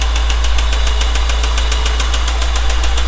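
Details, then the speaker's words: 1989 Honda Prelude (3rd gen) engine: sharp, even, deep rhythmic knock about seven times a second over the idle; rod knock from a damaged rod bearing. "yep this is rodnock"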